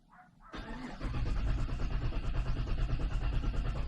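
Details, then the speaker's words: 2016 GMC Sierra engine cranked via the starter relay actuation test from a Thinkcar 689BT scan tool; starter spins the engine at an even, steady rhythm of about three beats a second with no grinding or clicking; normal crank. "I'm going to hit the starter relay and the engine should crank hopefully you're going to be able to hear that"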